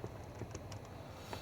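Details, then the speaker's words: 2006 Toyota Sienna: sharp, uneven plastic clicks, three or four a second, from the temperature mode door actuator behind the glove box air duct, continuous with blower on or off when passenger temperature is set at 75°F or below, stops at 76°F and above. "uh the clicking noise is happening whether I turn it off or not and it's really very bothering because even if I have my radio on the music is loud that clicking noise will be just as loud uh and irritating to the driver"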